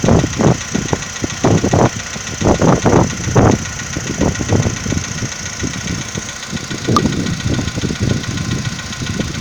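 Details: 2015 VW Polo Sedan, morning cold start: cold idle with uneven, heavy knocks in bursts that fade after a few seconds; cold-start knock, owner asks whether it is piston knock.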